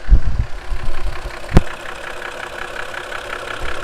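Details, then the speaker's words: Lexus IS300 at idle, no codes, runs fine: loose, irregular heavy low thumps a bit over once a second, seemingly from the front of the engine; owner vaguely suspects VVTi but unsure, cause unknown. "I mean, she runs great, but there's a pretty crappy noise coming from the engine, and I have no idea what it"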